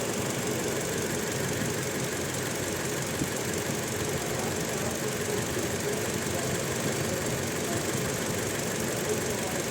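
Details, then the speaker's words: Toyota Innova petrol engine at steady but rough, uneven idle: the misfire had no check-engine light or DTC. Coil swaps show the fault follows the ignition coil, not the spark plug; replacing the coil should resolve it. "य इशन में problem है तो यह मुझे change करनी होगी और मेरा प्रॉब्लम रिजॉल्व हो जाएगा"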